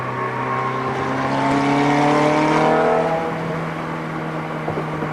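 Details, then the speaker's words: Ferrari F430 road test after replacing a rear wheel bearing that was bad enough to feel in the steering wheel. Smooth engine note with no hum, growl or rumble from the wheels; the new bearing is quiet. "Alright, so as you may have heard, it sounded perfectly quiet. The bearing is all set."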